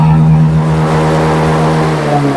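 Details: Honda Beat scooter after fuel hose fitted and ECU reset via DLC to clear a blink-8 TPS fault, engine warmed up, throttle opened: steady, even drone, no stumble or cut-out, revving clean and unrestricted. Normal free revving, no limiting.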